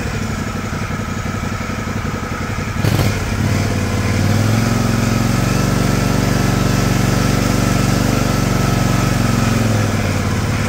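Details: John Deere LX178 mower after carburetor replacement (previously very rich, leaking gas), idle speed screw adjusted down to stop: steady low single-cylinder putter, even beat, no misses or surging; very smooth, quiet idle.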